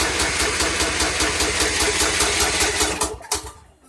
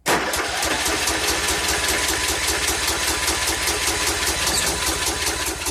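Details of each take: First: 2014 Troy-Bilt Bronco 13WX78KS011 mower, Kohler 17 HP, new carburetor fitted: steady cranking chug about two and a half beats a second for three seconds, never catching; no-fire because choke not engaging, cable adjustment needed. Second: 2014 Troy-Bilt Bronco 13WX78KS011, Kohler 17 HP Command, after a new carburetor replaced the faulty fuel shutoff solenoid, choke held by hand: cranks, catches around seven seconds, settles into even steady idle; normal start.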